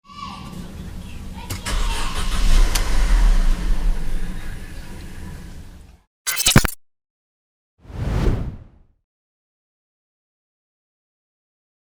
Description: On every first cold start attempt, the car will crank and stall instantly with 4 pending DTC ignition coil primary control circuit high P2301 P2304 P2307 P2310, even with WOT on the accelerator.